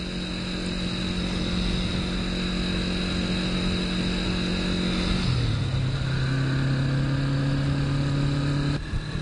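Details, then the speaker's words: Honda CB450 K0 twin with about 5,000 miles cruising at about 50 mph, a little over 5,000 rpm; steady, even drone dropping in pitch with a gear change, with the model's typical handlebar buzz felt; healthy engine. "Alright, we're going about 50, a little bit over $5,000. And here you can really feel through your feet, through the handlebars. One of the complaints about the KO model is the buzz through the handlebars."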